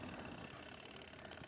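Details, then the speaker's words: Scrap-found Sumo 40 W 12-inch 3-speed box fan with swing, speed knob missing: the wind-up timer switch ticks fast and evenly over the fan's hum, running down normally. "The speed control knob is missing obviously, and this timer switch right now this is making some sounds like the tick tick sound that you can hear right now."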